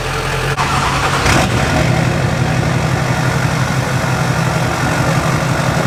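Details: Junkyard LB7 Duramax diesel truck; steady, even diesel clatter at idle, smooth rumble, no knocks or stumbles; healthy-sounding engine.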